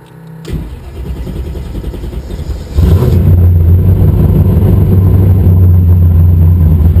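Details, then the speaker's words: Car converted from carburettor to MegaSquirt 3 fuel injection, 4in downpipe and no mufflers: starts first try into a loud, steady, even idle with deep rumble, slightly lean at idle; runs fine. "switch that's it it runs idle's nice auto response is Frisk"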